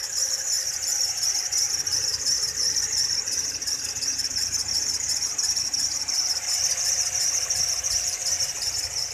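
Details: Toyota Fortuner with engine running: steady shrill squeal with a quick chirp about three per second from the belt drive; a loose belt tensioner is suspected, not confirmed.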